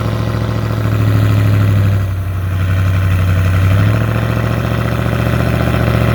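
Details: 2018 Dodge Charger R/T V8 with Jay Greene 217/238 cam, long-tube headers, full exhaust, intake and Diablo tune, cold start: deep loping rumble with an uneven choppy cam beat settling into a steady idle. Normal, healthy.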